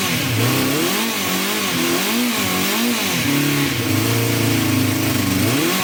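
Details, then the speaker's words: 1974 Honda CB350 Four, pilot screws at 1.5 turns out: revs surge and sag and climb only on full choke, and it won't run without choke. Blocked pilot jets are suspected. "that's on full choke. You can't rev it. So it's not running at all without choke on. And you can only rev it up when it's on choke, so pretty sure the carbs are blocked."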